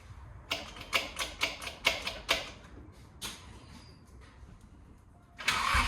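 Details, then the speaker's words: Toyota SC300 with open headers, after exhaust and leak repair: starter chugs in uneven strokes without catching; crank no start because the fuel pump harness was left unplugged, so the pump never primed. "Zach, turn it off first and see if if we hear the fuel pump prime. Did you connect it back in? He didn't put the harness back in, guys."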